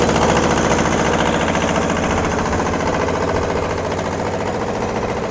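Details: Kubota L210 21hp diesel tractor, warmed up after a cold start: firm, regular diesel clatter at an even idle with no misses; both cylinders now firing after earlier popping, smoke stopped, running healthy.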